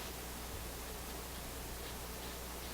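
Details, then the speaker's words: AF-610 Japanese AM/FM tube radio with 17EW8 tubes, FM fault being traced, after swapping two tubes: only a flat steady hiss at full power, no station; no FM reception, cause unknown. "put it on full power here. Okay, hear a little hiss."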